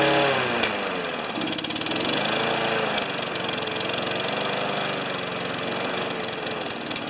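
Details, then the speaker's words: Craftsman 6.5 HP Tecumseh single-cylinder with throttle stiff and found stuck wide open; misses and won't stay running at wide open throttle, speed surging and hunting instead of holding steady, then settling mid-range; primer bulb feels inconsistent: rough running. "so it doesn't stay running it misses it was wide open throttle"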